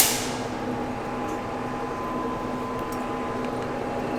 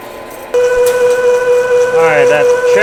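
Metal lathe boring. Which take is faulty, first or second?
second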